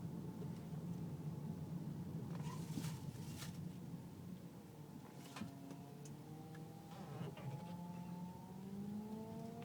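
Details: Car power steering making a loud whine when turning left or right below 10 mph, quieter at higher speed; fluid full, no leaks or foam, belt sounds normal; a mechanic blamed the rack and pinion.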